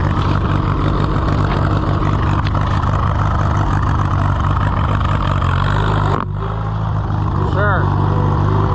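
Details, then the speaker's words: Allis-Chalmers WD tractor with WD45 engine, first start attempt, in neutral: low, lumpy engine beat with uneven firing that never settles; rough running, carburetor suspected, not confirmed. "sure carburetor is not happy"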